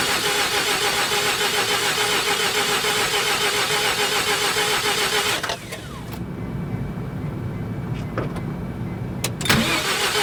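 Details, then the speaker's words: 1988 Mazda RX7, 1.3 L 13B twin-rotor rotary, sat unused for over 10 years, in neutral with the microphone set nearby: steady fast cranking at about three and a half turns a second that never fires; crank no start, cause unknown, plugs to be pulled. "Okay, she's not going to start. So, going to have to figure this out."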